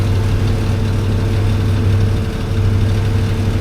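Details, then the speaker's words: 2005 Ford F-250 after a customer's own starter replacement went wrong: starts, then idles with a steady low rumble but uneven, lumpy feel; sounds rough, cause unclear. "There we go. Sounds like crap, but she starts."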